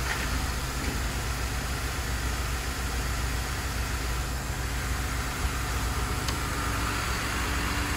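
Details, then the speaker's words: Idling engine with an active fuel leak, gas smell, injector pulse checked good with stethoscope: uneven, skipping beat under a steady rumble; leak bleeds off fuel pressure, most likely causing the misfire. "Pulse sounds good. Alright. So she's losing fuel pressure. And that's what's most likely causing it to skip."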